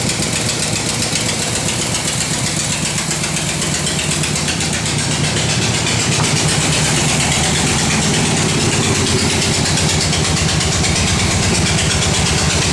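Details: 1968 Corvette V8 at idle with a steady light knock following engine speed, from the passenger side. The exhaust gasket was replaced without effect and the valvetrain checked fine; owner suspects a shot rod bearing, unconfirmed.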